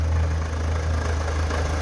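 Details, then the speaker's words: Fiat Palio: loud rhythmic knocking at idle like something striking low on the engine, disappearing when revved; over-tight timing belt tensioner. "um barulho forte um barulho parecendo que tá batendo parte de baixo alguma coisa desse tipo tá e quando se acelera o barulho some tá e na marcha lenta fica esse barulho horrível"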